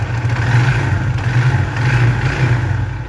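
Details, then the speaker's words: Motorcycle engine after fix, hose of the emissions device reconnected to the air filter: steady, low, even idle throb with no odd knocks or hisses, sound now completely normal versus earlier loud, strange noise. "صوت الموتور بقى طبيعي جدا."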